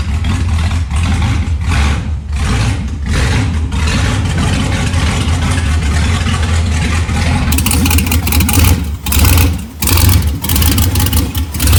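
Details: LS1 V8 truck running, following fire damage and over-fueling issues with a new regulator fitted: deep, even burble rising and falling through several blips and settling cleanly; normal running on all cylinders.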